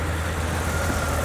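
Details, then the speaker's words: BMW E31 850i V12 (M73-type engine) restored after sitting since 2011, just refilled with 5W40 synthetic oil: smooth, even low idle right after start, oil pressure light immediately off, no knocks, ticks or misses; normal idle. "All right, let's fire it up. Oil pressure light immediately off. Sounds good."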